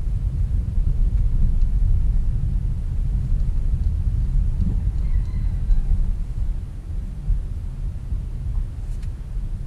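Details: Toyota Corolla on a road test over potholes after workshop service. Only a steady low road rumble over rough ground, with no clunks, knocks or rattles from the front end; suspension sounds tight.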